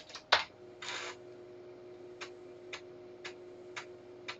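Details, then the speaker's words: Commodore 1571 floppy drive, repaired after mains filter went pop, reconnected for 240V, formatting a disk double-sided with a C64: crisp head-step ticks about twice a second over faint motor hum, head returns to track 0; normal, no errors. "like it's formatting the disk. Okay, it's now pulled the head all the way back to track 0, and it's doing it again."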